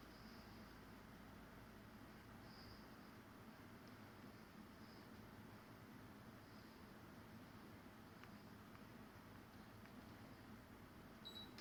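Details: Fujitsu ASYG24 KLCA indoor unit No. 2, fan on level 2 Low: soft, even airy rush at a steady level with no ticks, rattles or wobble; normal fan running.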